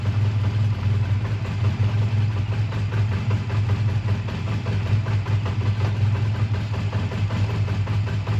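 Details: A 2001 Honda Rebel idles warm with a steady, even low pulse and no knocks or misses, after a choked cold start at 22° that stalled once and a suspected minor fueling problem with a gas drip; tired but runs good; normal idle.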